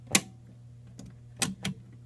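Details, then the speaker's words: 1942 Philco 42-1008 code 122 tube radio after recap, powered on with heaters glowing, volume up: low steady speaker hum with a few sharp clicks, no program sound; fuse intact, 7C5 tube did not light, cause not yet found. "It's making some sort of noise. nothing usable."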